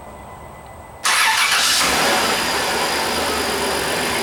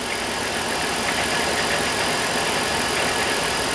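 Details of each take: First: Dodge Caravan-type van 3.3 L V6, close to 200,000 miles, first start after cylinder head gasket replacement, cold: brief crank, catches at once, smooth steady idle with no misfire; lifters faintly audible, owner wonders if oil needs to pump through after pushrod tubes removed. Normal start and idle. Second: Dodge 3.3 V6 minivan with close to 200,000 miles, just started after a head gasket job, coolant not yet topped up: light fast ticking about four per second over an even idle; owner suspects lifters still waiting for oil.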